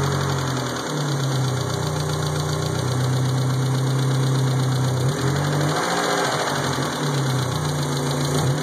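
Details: 1G Eagle Talon 4G63 engine at idle: light, fast, slightly uneven ticking about four per second; owner suspects lifter tick, unconfirmed.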